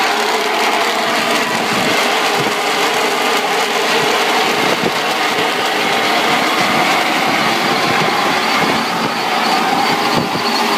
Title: Cooling Tower Loose Belts Bad Bearings